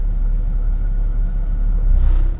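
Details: 2003 Mazda MPV at idle with AC on, hot: low idle rumble wavering up and down, running rough and dying on throttle; scan shows lean long-term fuel trims 12.5/10.2; throttle body issue suspected.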